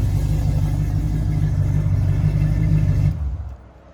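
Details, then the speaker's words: Restored Squarebody crew cab 3+3 lifted truck: deep, steady low rumble from a big petrol engine running evenly, then shutting off near the end; normal engine running. "I'll go ahead and fire it up so y'all can hear it run"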